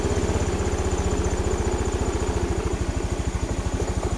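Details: Honda Beat FI scooter that stumbled and died on throttle, after repair with fuel pressure at normal 40 PSI: steady even idle putter with regular beat, no stumbles or knocks; running smoothly and healthy.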